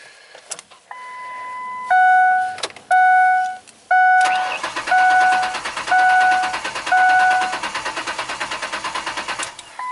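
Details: 2004 Ford Explorer 4.0 SOHC V6 with intermittent overheating, cranked with the pedal floored (clear-flood mode) for a relative compression check: a steady, even cranking beat under a dash chime with no cylinder dropping out; compression sounds balanced.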